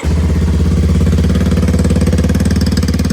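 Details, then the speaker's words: Kawasaki KLX230 single-cylinder, cold start before ProCircuit full exhaust install: fast, steady high idle with crisp exhaust beat, no knocks or rattles; normal cold-start high idle. "Quick fire up, cold start. So you know it's gonna rev to the moon."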